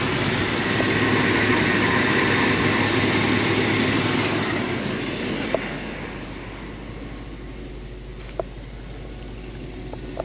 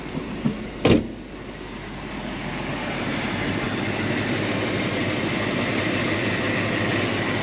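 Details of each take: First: 1975 Mercedes 450SL at idle, engine running smoothly without vibration; steady buzzing hum over the idle from a loud aftermarket electric fuel pump at the rear, noticeable at idle but not inside while driving. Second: 1975 Mercedes 450SL V8, little used (about 500 miles in 5 years): steady even idle with no misses, knocks or vibration, no suspect noise from the power steering. The electric fuel pump is audible.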